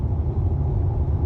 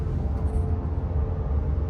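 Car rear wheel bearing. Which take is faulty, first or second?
second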